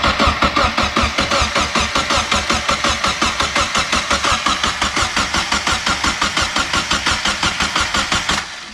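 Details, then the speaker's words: Mazda Miata after a DIY turbo install, cranked with the fuel injectors disabled to prime the turbo with oil: steady starter cranking at about three beats a second, no firing, then it stops; normal cranking without starting. "Okay. That's just to get oil on the turbo."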